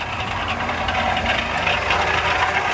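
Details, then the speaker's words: Range Rover V8 at 167,000 miles idling: a busy metallic rattle on top that sounds like timing chain but is a loose, worn water pump bearing and fan clutch. "that thing is rattling that's awesome so i mean this is what it is so on the outside people are like oh my god it's the timing chain that all or the timing builder chain but all in reality it's just a bad water pump"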